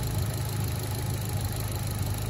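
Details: Mitsubishi Colt CZT Ralliart idling after fitting a custom Dynodaze manifold: smooth, deep steady idle with an even pulse and no ticking or rattles; engine healthy.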